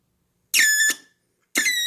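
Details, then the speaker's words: BITX40 radio rebuild on first power-up: two loud, high, warbling squeals of about half a second each, then a bad smell; audio amplifier oscillation, suspected wrong speaker. "that's a wild oscillation [Music] so i'll bet you that's just the wrong speaker for it"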